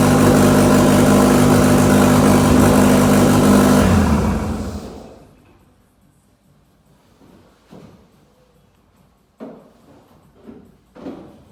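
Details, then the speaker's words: RWD-converted Mk2 VW Scirocco with 1.8T 20v turbo engine, first drive test up to third gear: steady even engine note for four seconds, then fading out, no knocking or grinding as gears engage; normal. "it's letting me select gears and it's it's not knocking or or grinding any gears so it should looks like it's engaging and disengaging as it should"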